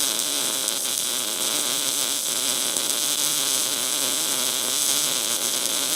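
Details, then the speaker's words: MIG welder with voltage increased to burn through: even, continuous frying hiss without pops or breaks; steady, stable welding arc. "I'm going to increase the voltage. See if it'll bust through some of that."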